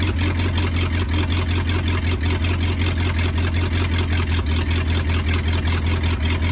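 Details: 1939 Ford 1.5-ton truck, flathead V8 parked about 65 years, wired directly to battery: deep steady idle rumble, even pulse about 158 per minute, no knocks; runs pretty good, carburetor a little weak.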